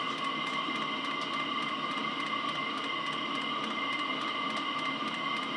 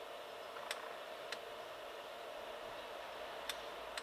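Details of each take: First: HCalorie Chinese diesel heater on homemade controller, first test, fuel mix containing petrol: steady whirring fan hum with even pump ticks about twice a second; outlet near 24 °C, burning and thermostat engaged, running normally. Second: Homemade controller on an H calorie Chinese diesel heater, first test, induced flame-out (possibly flooded), down to 60 degrees: faint sharp ticks every half second over a quiet hiss; dosing pump still pulsing fuel, thermostat range needs changing.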